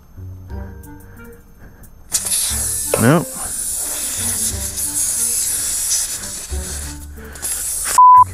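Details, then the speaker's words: 1996 Harley-Davidson FLTSN tire: sharp steady hiss of escaping air for several seconds, music behind, after using the Yesper X1 inflator; valve stem leaking, losing several PSI within about 5 seconds. "that is not good yeah you can still hear the air coming out"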